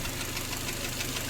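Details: Kia Sportage G4KD engine running on gas (LPG), 150,000 km, before teardown: rapid regular dull knocking over idle, steady with engine speed; piston knock from scuffed cylinders.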